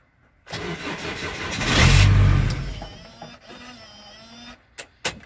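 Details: VW LT (2.5, fault 01176), immobilizer problem suspected: starter spins, engine roars up for about a second then dies to silence; will not stay running, crank no-start.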